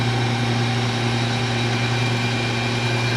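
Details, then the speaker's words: Clausing Colchester 13x36 lathe run via a 3 hp TECO Westinghouse VFD on single-phase 240V, around 45 Hz, carriage feeding: smooth, steady low hum, no whine, rattle or knock; gear train, known for being loud, sounds quiet; normal running. "She sounds pretty quiet. I know these are known for having kind of a loud gear train."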